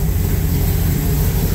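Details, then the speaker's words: 1974 Ford Bronco after engine swap, V8 with Holley Sniper 2 throttle-body fuel injection: deep, even V8 burble at steady idle with no misses or knocks, running good; normal idle. "it but it's running good and uh it's working"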